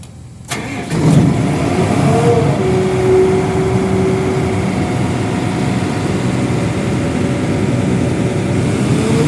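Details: Airman diesel air compressor that cranked but would not start because the fuel pump and starting relay were de-energized, after fuse fault traced; short crank, fires promptly and holds a smooth steady idle; normal start.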